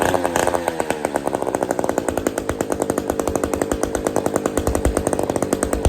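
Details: Old Bolens gear-drive chainsaw two-stroke running for the first time in the owner's years of having it, no choke, kill switch off; fast, crisp, even firing at a steady high idle, no misses. Normal running.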